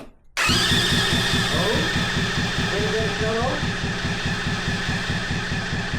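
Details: 125cc drift trike engine, forklift-damaged, with battery booster on: steady starter cranking at about four beats a second that never catches; spark is good but no fuel arrives, and the owners suspect a clogged carburetor.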